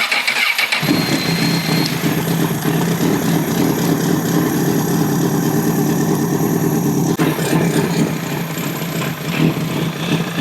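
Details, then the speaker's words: 2006 CBR1000RR with 22,995 mi, idling during a head-gasket test after coolant was found. Catches after a brief crank and settles into a steady, even idle with no ticking or misses. Test passed, no blown head gasket. "Now that motor sounds really good. Uh I didn't hear anything crazy going on with it."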